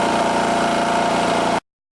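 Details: Long-sitting old generator after soaking and cleaning the gas tank and charging the battery: steady, even engine note with no misses or surging, holding smoothly until shut off; it now runs healthy.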